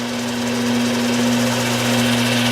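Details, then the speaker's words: Newly moved-in South Bend metal lathe, dirty, belt drive just engaged: steady, even low hum and smooth drone with no knocks or grinding, flinging oil; running normally. "It's going. and flinging oil. Cool. They work."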